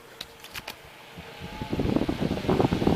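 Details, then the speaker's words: Mid-1950s Bersted "Zero" 1250R electric desk fan after restoration with blade pitch increased: a few light clicks, then a steady, even rush of moving air. "Okay, now it moves air. You're welcome."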